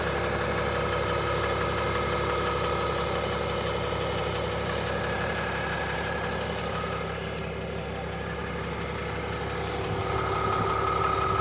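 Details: 2022 RAM Cummins diesel on cold start: a light, even tick about three per second over the idle clatter that goes away after about 10 minutes; cause unknown.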